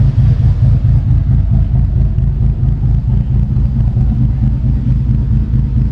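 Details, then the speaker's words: After setting base timing on a Link Fury ECU, idle deliberately tuned lumpy by adjusting timing: a low rumbling idle surging and dipping about ninety times a minute, a cam-style idle set by tuning. "I'm going to adjust your item to get it a little bit lumpy again"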